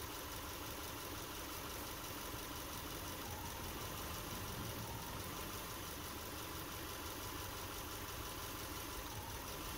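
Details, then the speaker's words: Subaru Impreza idling with a check engine light, heard at the tailpipe: an uneven, stumbling beat with idle sagging on each pop, a single-cylinder misfire on cylinder three. It is worse in drive or reverse. "listening to it from the tailpipe will definitely make it noticeable and each one of those pop pops is a misfire"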